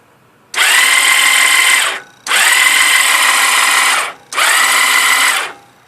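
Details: 2001 Yamaha V-Star 1100 Classic Silverado that has never started for this owner, after sitting two months on a charged battery: three bursts of high, free-spinning whir with no cranking rhythm. The starter spins without engaging even after a new starter clutch; the fuel pump is audible.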